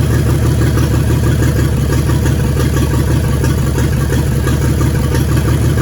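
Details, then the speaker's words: 1942 Chevrolet G506 truck, ignition miss troubleshooting by pulling plug wires: uneven lumpy idle stumbling about three times per second, two cylinders dead (no change when their wires pulled though they spark); misfire, cause unconfirmed. "so we got 2 dead ones. As you can see, you pull it off and you listen for the difference in the motor and how it sounds."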